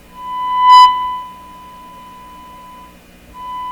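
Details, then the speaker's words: Stewart Warner R514 tube radio after finding and replacing an open resistor, powered on: clean steady tone with a short swell, a pause, then tone back; sounds fantastic, playing normally. "you little bugger oh that sounds fantastic"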